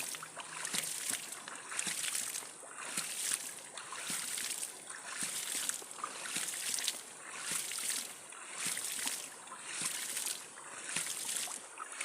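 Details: Electricity-free hydram ram pump restarted with waste valve stroke set to 1.5 cm; rushing water with a regular clack a little under once a second as the waste valve slams shut; running normally.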